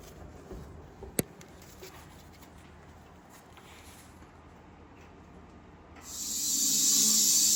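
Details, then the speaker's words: International cabover semi in the shop: a steady, rising high hiss as shop air fills the air tanks to build pressure for testing. Normal filling, not a leak. "so that noise you hear it's not leaking it's just air going into the [Music] tanks"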